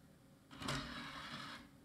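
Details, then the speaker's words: Scrapyard CD-ROM drive, old, not reading a Windows 98 CD: short strained whirring burst of about a second, tray motor labouring and barely moving, though it moved a little; owner thinks it may revive after repeated tries, inside to be checked. "oh it did move it did move a little bit I think if I try this another 10 times it may actually come back to life"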